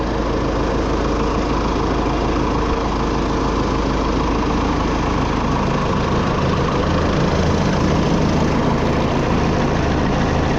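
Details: Oliver 66 diesel tractor, unused since 2023, idling before being moved, with good oil pressure: a steady low clatter at about three firing beats per second, no misses or knocks; a healthy normal idle.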